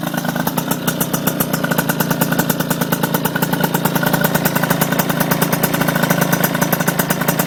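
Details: RS 80cc small single idling with a sharp, even puffing tick about eight times a second; exhaust leak.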